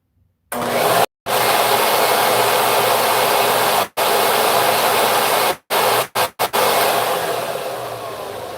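Smooth steady hiss-roar with a few brief on-off cuts, then an even spin-down; vacuum running fine.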